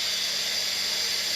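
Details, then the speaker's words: M13A Portaclave 'Big Bertha' field autoclave switched to sterilize at full power: a steady, high hiss of steam rushing into the chamber with no sputter as the temperature gauge rises toward 270 degrees; a normal cycle. "so we grab the control knob and we turn it all the way around to sterilize you'll hear a rushing of steam entering the chamber and what you'll notice now is the temperature gauge starting to rise"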